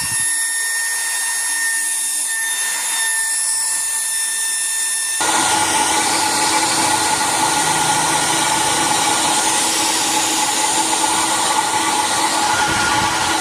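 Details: Iconic hair dryer after replacing the burnt-out motor with a new one: steady high whine rising to a louder, even rushing hum, smooth motor tone, no rattle; runs normally.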